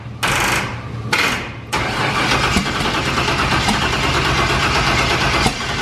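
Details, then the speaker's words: Turbo Firebird with COPO cam and a newly built fuel system: starter cranks in short bursts, then a longer rough crank that never settles into idle; it fired once but wouldn't stay running, cause unknown. "i'm not sure why once it did crank over and fire off why it didn't stay running which is weird"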